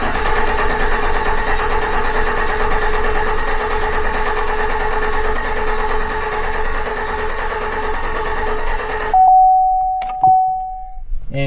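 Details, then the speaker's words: 2015 Chevy half-ton pickup, cylinder two misfire at idle, cranking with throttle floored for relative compression test: about four pulses a second, lopsided beat where one cylinder is low; cause a worn valve lifter and camshaft. "you can hear it almost audibly I'm quite certain there's a cylinder in there that's low as that's coming around it should be extremely rhythmic and did not sound like it was very good"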